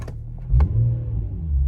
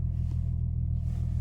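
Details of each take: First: Infiniti G35 Sport HR sedan, nearly warm, after tightening loose ISR Y-pipe bolts that caused an exhaust leak and high idle; low steady rumble at idle, no ticking or puffing, settled and even. Normal idle. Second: Infiniti G35 Sport HR sedan after fixing tiny ISR Y-pipe exhaust leak (loose/missing bolt); steady smooth low rumble, idle still slightly high, maybe 50 RPM over, drops a bit slowly; no misfires or knocks. Slightly high idle.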